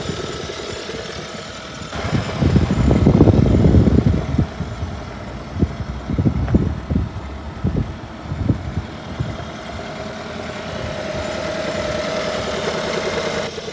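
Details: 2017 Hyundai Sonata plug-in hybrid engine running with quick, uneven ticking amid handling bumps; dealership and one mechanic call engine fine, another disagreed; cause unknown.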